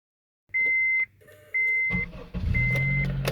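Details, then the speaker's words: 2003 Honda CR-V: three chimes, then a low rough buzz when the key is turned to start and the engine does not crank, sometimes not starting at all. The ignition starter switch module is being replaced. "so that's the problem is the Honda as you can clear a little bit buzzing when you just turn your key into the starting position to start the car it buzzes instead of starting sometimes worse than others sometimes it just will not start"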